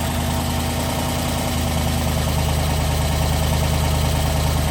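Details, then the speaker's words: Trailblazer SS on a new cam, first fire-up with a startup tune: loud, choppy idle loping about three times a second over a deep rumble, idle turned down, headers burning off; tune way off. "well guys the tune's way off but you know what not bad for a startup tune"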